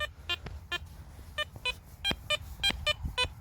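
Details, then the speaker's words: Garrett Apex metal detector over a target about a pinpoint and a half deep: repeated short high-pitched beeps with a steady clean tone while the ID numbers bounce a little, a diggable signal. "the numbers bouncing around a little bit but as you guys know with that sound that's a diable sound all day"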